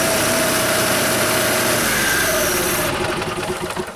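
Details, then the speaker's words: Motorhome generator: holds a steady, even speed, then cuts out abruptly and coasts down in slowing pulses as the start button is released. Ignition drops when the start switch is let go, so it won't stay running. "Fires up, and as soon as you let go, it stalls out."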